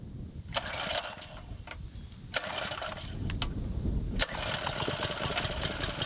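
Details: Small engine left outside for months through rain, snow and ice, started on choke. Pull-start rasps, then it catches and keeps running with a light, uneven patter; starts easily and runs healthy.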